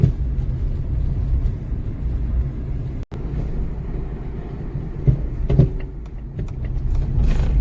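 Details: Acura RSX with six-month-old D2 coilovers, driven over snowy bumps: deep road rumble with irregular heavy thumps. The coilovers started banging two months after purchase, and the car is barely drivable.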